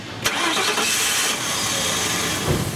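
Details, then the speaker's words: 1999 Ford Crown Victoria 4.6, towed in: cranked without throttle, the engine catches briefly and won't idle, running smoothly only with the gas pedal pressed; stalling traced to the idle air control valve. "it was actually towed in the vehicle runs but will only run with your foot on the gas pedal so go ahead and start that for me and let's take a listen don't put your foot on the gas just crank it do it a couple times so you hear it will not idle"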